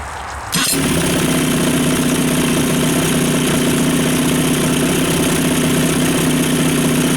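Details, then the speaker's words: Two-stroke outboard after fuel system refresh (carb cleaned, fuel pump replaced, bad fuel flushed), previously unable to idle: starts at once and settles into a steady even idle, smoother than ever. "okay so I'm not going to argue with that that's smoother than she's ever idled"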